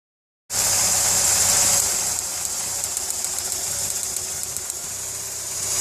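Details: VW Polo 6N2 petrol engine idling with a light, fast, regular ticking over a hissy running sound, source unknown; the car also has starter motor trouble and the airbag light came on.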